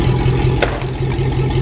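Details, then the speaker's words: 1999 Chevrolet Silverado V8 with new exhaust, muffler (cherry bomb) removed: loud, deep throbbing idle rumble swelling briefly on a light blip; open exhaust. "But we're going to go ahead and start this and see what it sounds like with the exhaust, like right in this area. It's probably going to be somewhat loud, but we're about to find out."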